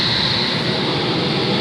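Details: Goodman/Amana 96% efficiency furnace blower running after replacing the extra-large AC drain pan: smooth, steady rush of air with a faint high hum and no hissing or whistling spots; runs normally, no leaks.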